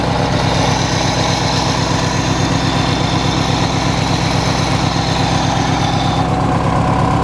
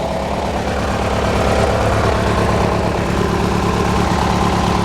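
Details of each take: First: Hechinger by MTD lawn tractor, small single-cylinder engine after belt replacement and readjustment: steady even idle, smooth firing with no knocks, then clean shutdown; running normally. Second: Hechinger by MTD garden tractor, just after clutch/declutch work and frame reinforcement, warming up after starting. Twin putters at a steady low idle with a slightly uneven beat and no mechanical knocking. Smokes a little; rough idle.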